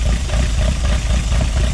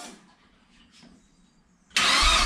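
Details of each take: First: Project Zero 18 freshly built engine on first start with Emerald ECU: steady, even idle just under 1000 rpm with no misses, after syncing throttle bodies for airflow; runs well. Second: Project Zero 18 first start attempt with Emerald ECU: starter cranks steadily about ten seconds without firing; all fluids topped, no leaks, both fuel pumps running, 2.5–3 bar oil pressure while cranking; owner suspects fuel or ignition timing needing ECU setup.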